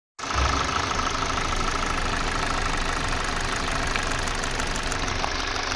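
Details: Kia/Hyundai engine at idle: steady idle with a faint irregular stumble and ticking through the rumble, uneven pulses; engine misfire.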